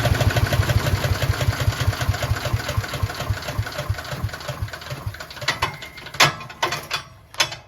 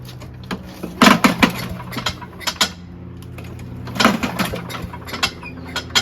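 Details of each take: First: Craftsman chipper shredder, small single-cylinder engine, excellent condition, started on one pull: fires evenly with a steady low pulse, no knocks or misses before winding down; normal running. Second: Craftsman chipper shredder, pull-start attempts: irregular bursts with scraping clatter and the engine never catching. The flail rotor hits the housing and robs cranking speed; a bolt was off and a crack found. The engine itself sounds okay.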